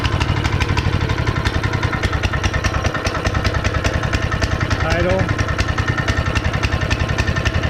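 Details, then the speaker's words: Honda GX160 5.5HP on concrete power trowel, unrun for years, first start after repair with a little gas poured in cylinder and cleaned spark plug: quick, steady single-cylinder popping at even idle while warming up; running smoothly. "okay guys we got it running"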